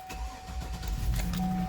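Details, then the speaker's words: Cold start of a Vortec 6000 6.0L V8 at 179,606 miles. A short crank, then it catches quickly and builds to a firm, even idle without stumbling; no problem and no warning lights. "go ahead and put it in there see how she starts"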